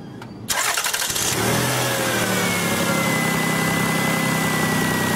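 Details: 2000 Lexus RX 300 that would not start with low-compression-like symptoms, after cleaning and freeing the idle air control valve: brief cranking, then catches cleanly to a steady even idle; fixed.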